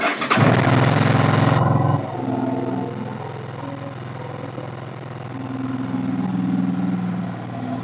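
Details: Suzuki V-Strom DL650 after burnt wiring loom replacement, alarm disarmed, fuel pump primed, trickle-charged battery, in neutral: short crank, fires at once, brief rev, then a smooth steady twin idle; starts and runs healthy.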